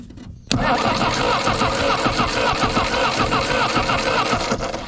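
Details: 1964 Jeep CJ-5 barn find (30 years, formerly stuck engine), after cleaning the points and running a dedicated hot wire to the coil to bypass a suspect key switch: steady, even cranking for about five seconds without catching; turns over but no start.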